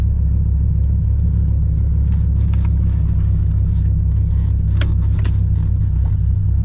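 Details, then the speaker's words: 1997 Dodge Viper GTS at warm idle, over 100 degrees, before a tune-up. A heavy, lumpy rumble with an uneven beat; the car shakes, smells of raw fuel and lacks power. Misfire on one or two cylinders, cause unconfirmed. "so the car's shaking and i know it doesn't have a cam it looks all stuck it sounds all stuck it just smells like there's a raw fuel and also i mean the motor you could totally tell that he has a misfire"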